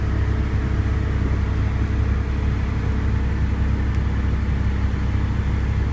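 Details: 1991 Honda Civic with Matsushita AC compressor, after repair: alternator wire connected directly to battery giving 14 V; even low engine rumble with compressor engaged, no rapid ticking; engine temperature low, AC in the 30s; normal operation.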